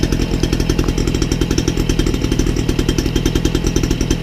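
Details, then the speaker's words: Peugeot 103 moped, freshly fitted Airsal 70cc kit, cold engine just after choke released: quick, even two-stroke popping with a steady low drone, idling a bit fast but otherwise running cleanly. "Et allez, voilà, ça tourne. Tourne un petit peu vite, je trouve, mais bon."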